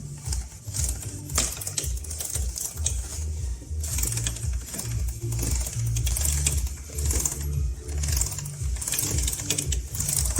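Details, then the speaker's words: Honda CB400 on a stand, rear wheel turning: light, uneven tick-tick from an unevenly stretched drive chain, tight as a string in one spot and slack in another; heard as clicks when riding, to be fixed by replacing the chain and sprockets. "но мне не нравится что при езде Вы когда двигаетесь идут щелчки такие особенно слышно в каких-нибудь тоннелях или Где отбойники рядом есть"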